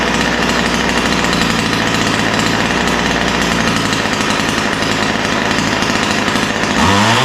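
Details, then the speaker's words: Ryobi two-stroke line trimmer after opening both mixture screws and tuning the low-speed needle slightly rich: high, buzzy steady scream with no bogging or sputter, dropping cleanly; now running well. "yeah so that's what I like to see it sounds pretty good right now I took a little tinkering with the low speed mixture needle to get it just right"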